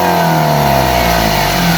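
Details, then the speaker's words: Van with a hissing noise found on a test drive, heard from underneath while revved: thin whistling rising with revs from a large split in the intake pipe on the bend, a boost leak. "Look at that huge intake leak right on the bend, and that's the whistling."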